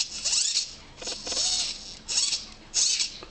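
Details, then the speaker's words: Blitz RC Works Rogue 500 RC helicopter, a healthy servo turned by hand after a crash; four short, high whirring sweeps, smooth and free of the clicking heard from the stripped front servo. "can also feel the difference in the gears it's very smooth and it almost kind of travels to a point where you can let it go again this"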